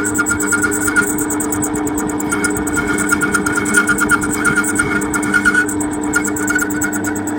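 Steady motor hum with a faint high whistle and light cutting chatter, no grinding or knocking; the little lathe is turning smoothly.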